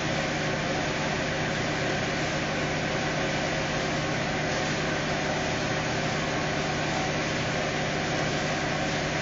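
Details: Fiat Uno 2018 Fire Evo engine after repair of a strange engine noise (suspected reversed gasket affecting lubrication); steady, even idle with smooth low hum, no knocks, running normally.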